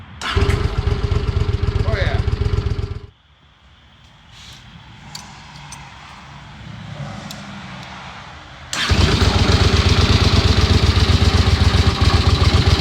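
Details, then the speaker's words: 1982 Honda Silver Wing GL500 warming up after intake manifold repair and carb cleaning: even, steady idle thrum, brief quiet gap, then picks back up just as smooth; healthy idle. "well here she is we're getting her idled up here real quick and then we're going to button her back up"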